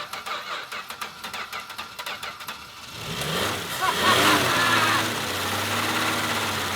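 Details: Valiant slant six after its oil was replaced with Dawn soap and grime flushed: about three seconds of cranking at a steady chug, then it catches, flares up and settles to a steady run; starts fine.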